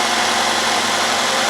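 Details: 2010 Nissan Altima 2.5L idling after alternator replacement and belt adjustment: a steady, even engine hum with a loud hiss on top and no knocks or squeal, so it is running smoothly.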